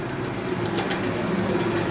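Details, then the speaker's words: Old pedestal fan with bush-type motor, bushes front and rear worn loose: steady motor hum with an uneven rattling tick as the shaft knocks; worn fan motor bushings, to be replaced. "ये इसके Bush हैं जो वो loose हैं, इस वजह से ये इस तरह की आवाज़ दे रहा है। ये देखिए, ये जो आवाज़ है ये बुश की है।"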